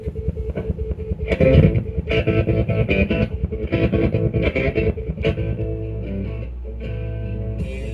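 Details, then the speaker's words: Zenith stereo console being restored, playing guitar music over Bluetooth after overhaul. Louder notes come out harsh, flattened and crackly as the amplifier clips; cause not found, and testing the tubes is suggested first. "Why is it clipping like that?"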